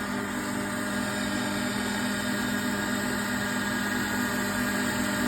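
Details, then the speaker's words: Triumph Stag power steering rack and pump on a bench test, pump driven at about 700 rpm (like car idle), no leaks: steady pump hum with a faint strained note as pressure builds toward the end stop; normal pump under load. "so definitely no leaks at the moment what I can then do is I can then you can hear that the pump under under a bit of strain there"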